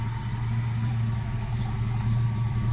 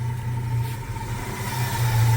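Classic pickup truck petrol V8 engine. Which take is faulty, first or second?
second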